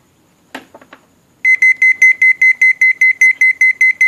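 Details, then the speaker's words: Sanyo 7 kg washing machine control board after no-power repair, bench powered up with no water level sensor (float) fitted: a few soft clicks then a steady high beep pulsing about 2.5 times a second, the missing-float alarm. "Đây là báo thiếu phao. Khi máy giặt Sennheiser là khi khởi động nguồn lên không có phao thì nó sẽ báo thiếu phao."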